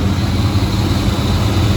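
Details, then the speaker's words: 1994 Chevy Blazer Z71 at idle after installing a new A/C compressor and receiver drier (orifice tube not yet replaced; one pulley rusty): even low engine drone, just slight belt noise, no squeal or rattle; much quieter than before. "Compressor put on, got a new receiver dryer. I still need to do the orifice tube, but just a little bit of belt noise, but it's so much quieter than it has been ever. Yeah, that's starting to sound the way it should."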